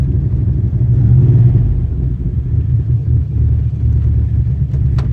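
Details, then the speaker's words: 2002 Dodge Durango SLT 4.7L 4x4, about 108k miles on a replacement engine, sat a year. Driving around the block after it stalled at a stop, it gives a deep rumble that surges and sags, stumbling as if loaded up or flooded. Cause unconfirmed. "See, now you hear it's kind of mess in it. It's almost like it gets loaded up or flooded."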